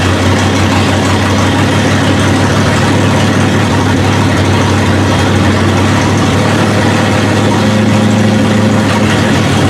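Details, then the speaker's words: 1971 Ford Ranchero V8, first start with fuel and spark: steady lumpy idle with deep even rumble, no misses, hitting on all eight; running full rich because the choke is stuck closed, carburetor likely needs a rebuild kit. "the problem we're having right now is it's just running full rich because the choke won't open so well either carburetor probably needs some attention you know a rebuild kit or something"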